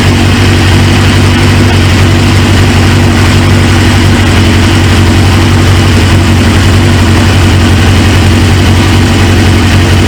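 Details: 1999 Suzuki GSX-R 750 four-cylinder with a used replacement engine: loud, even idle with a steady low beat and no misses or knocking after firing right up; healthy, though fuel leaks at the tank quick-connect, owner suspects an O-ring.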